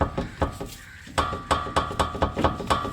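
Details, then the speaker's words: 2004 Honda Civic Si, 2.0 L manual, front end levered: repeated hollow clunks about every quarter second from excess play; worn lower ball joint causing the front-end clunking, at risk of knuckle separation. "You can imagine when this whole knuckle will separate because this ball joint will fail. If this part separate while you are driving, well, you will rip all of that."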